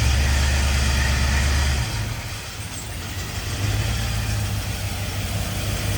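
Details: 1951 Chevy with LS swap V8 on its first start, car being lifted and loaded: heavy, uneven, lumpy rumble that dips and recovers, running on only four cylinders because one bank's injectors aren't firing; harness later swapped side to side.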